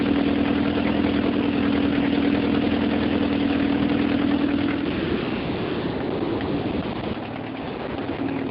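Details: 1978 Porsche 924 NA, stock Audi 2.0L L4 with K-Jetronic injection, recent noise not cured by octane booster: even idle with fast regular puffing tick and hum; owner suspects exhaust leak from broken manifold-to-pipe bolt, unconfirmed.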